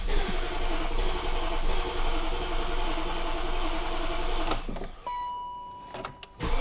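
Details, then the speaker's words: 2001 BMW E38 740iL, fuel sat a long time and smells like bad gas: engine runs rough a few seconds, sags and dies, leaving chimes and clicks; owner suspects no fuel getting through, starts then stalls. "I guarantee you it's a fuel problem that's why it's choking and dying right away because there's just no fuel going into it"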